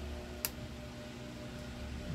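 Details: Fan motor test run after replacing its thermal fuse and oiling it, run through its speeds: a steady, even low hum with a couple of light ticks and no rubbing or rattle. Normal fan motor running.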